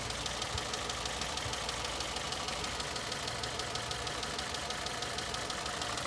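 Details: 2011 Citroen C3 petrol (1.2 or 1.4) idling with a sharp, regular ticking about three times a second from a misfire on one cylinder; check engine light, coil previously blamed, camshaft codes such as P1340 appear.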